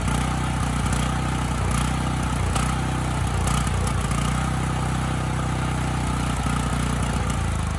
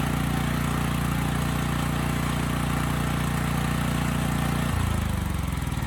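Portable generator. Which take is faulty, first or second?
second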